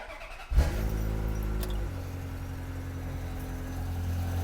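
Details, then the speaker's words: Ferrari F355 starting and idling: a faint, light tick rides over the exhaust note. The headers have already been replaced, and the tick sounds external to the engine rather than internal; its source is unknown. "this one has already had the headers replaced and I hear this tick that sounds external to the engine not like it's an internal thing"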